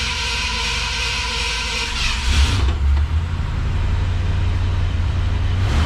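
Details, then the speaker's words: 1966 Ford Galaxie 500 convertible, cold start after sitting 6-8 weeks in very hot weather: cranking burst, heavy low rumble, lumpy unsteady idle at first; owner thinks carburetor gummed up or gas gone bad; smoothed out after about five minutes. "yeah you can tell it hasn't been run in a while I think the carburetor has gummed up a bit"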